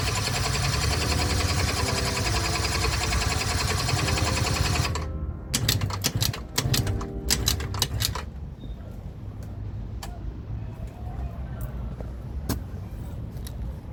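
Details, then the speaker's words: Cheap project two-stroke scooter with a leak, carburetor rebuilt by owner: about five seconds of even buzzing cranking that never catches; turns over but won't start with this carb on. "So, it doesn't even want to start with this carb on."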